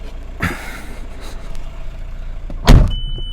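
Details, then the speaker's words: Ford Galaxy TDi diesel after a long-crank no-start and cutting out: the fuel filter was bypassed and the reversed supply and return pipes were corrected. The engine now catches on the first turn of the key and settles into an even, steady run. "the amazing thing about this actually is the thing started even when the pipes were reversed so never came across that one before"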